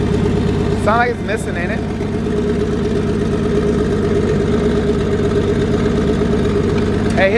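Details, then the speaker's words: RB25DET engine in Nissan S13 on Haltech ECU with new wiring harness and drive-by-wire, first start: lumpy, uneven idle with stumbling beat and rattling, not running on all cylinders; misfire, cause unknown. "it's doing all kind of craziness i don't know it's definitely not doing what it should be doing doesn't sound like it's on all cylinders"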